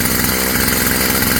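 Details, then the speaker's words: Stihl FS55 trimmer just after a new carburetor kit install, running without the air cleaner before warm-up: a steady, even two-stroke buzzing idle with no stumbling or surging, so the engine is running healthy. "Idling at a decent idle or RPM."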